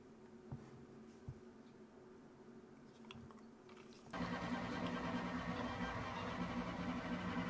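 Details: Prusa Core One 3D printer on its original standard feet (no squash-ball mod) printing a Bonkers Benchy: quiet room, then a loud, steady buzzing hum and whirring showing strong frame vibration.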